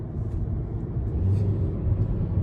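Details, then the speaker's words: Hyundai driving on the road with the windows up, after fixing a dead, misfiring cylinder: steady, low, even engine rumble with no stumble or skipped beats. It now runs smoothly, having cleared up after starting rough. "she's running good we're gonna take it down 62. she's running way better she was misfiring and running like crap before"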